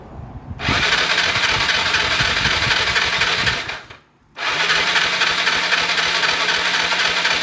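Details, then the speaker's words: Yamaha Mio 115 scooter that lost power while riding, stalled and won't restart; two cranking bursts with a hollow airy whir and no firing; compression measured only about 25 psi (about 2 bar). "ผมก็เช็คบ้างนะผมก็ดูดูทีแรกอ่ะมาผมก็รู้แล้วแหละว่ามันไม่มีกำลังอัดนะครับ"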